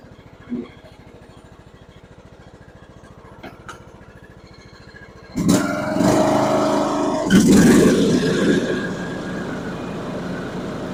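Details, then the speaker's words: John Deere riding mower after replacing worn-out blades: soft, even idle, then the blades engage with a loud, steady rush and the engine holds smoothly without knocks; normal running. "we'll fire it up and we'll back out here and uh turn the blades on make sure it don't fly apart"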